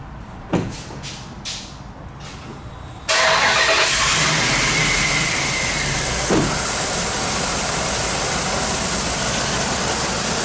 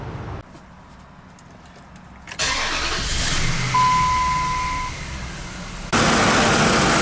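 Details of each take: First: 2004 Dodge Ram half-ton 5.7L V8 idling with fast sharp ticking from both exhaust manifolds, leaking past broken manifold bolts; heat shield also broken. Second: 2004 Dodge Ram half-ton 5.7L after repairing exhaust leaks from broken manifold bolts on both sides: short crank, catches and settles into steady idle with no puffing or ticking; exhaust sealed, no leaks.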